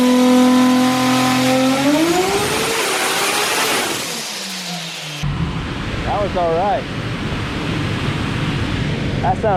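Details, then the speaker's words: Turbo car at full-power pull on the dyno up to about 6,300 RPM; engine tone climbs smoothly and strongly under full load, then lifts off cleanly, a healthy, normal pull. "sounded pretty good, huh, Gordo? $15.23 at 6,300 RPM. That's not bad."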